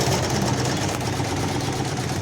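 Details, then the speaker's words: LG washing machine after repair, water drained and spin restarted: even low hum with a steady churning drum, no knocks or scraping; running normally. "पूरा चालू हो गया। ऐसे चलता है, ऐसे"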